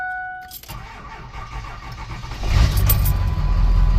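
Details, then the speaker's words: Ford Super Duty at 411,372.6 miles, after loose shifter fix: starter turns engine slowly and laboriously, three to four beats a second, before catching; sluggish cranking despite batteries reading 12.8 volts, cause unclear. "It's slow cranking. I don't understand what's up with that. My batteries are reading like 12.8 volts, 12.84, 12.82."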